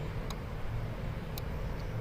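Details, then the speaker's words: 2006 Nissan Pathfinder 4.0 4x4 with limp mode in drive and lost TCM communication; fuel pump relay toggled on and off via scan tool, engine running; three crisp single clicks about a second apart over a low rumble; normal fuel pump relay clicking. "if you do the fuel pump on and off you can hear the clicking"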